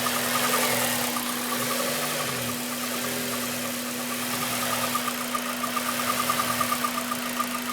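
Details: Honda Civic Type R, warm engine only, quiet for the first 10 minutes: light, fast metallic rattle at idle, present for about 7k miles; oil change, valve clearance, heatshields and VTEC cover tried; timing chain, tensioner and guides booked for replacement.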